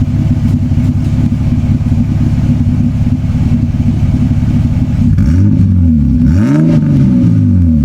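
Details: Toyota Cressida MX83, new temporary exhaust (before a planned turbo-back system) heard from the rear at the tailpipe: smooth deep idle with clean rises and falls on throttle blips; a quiet, healthy exhaust.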